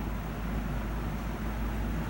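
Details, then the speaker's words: 1995-96 Lasko box fan motor after a new thrust washer, which fixed slow cold spin-up and scraping: smooth, steady whoosh, comes right up to speed on low, medium and high with no scraping; normal running. "so that's all it needed was that little thrust washer it's not making those scraping sounds like it was so awesome"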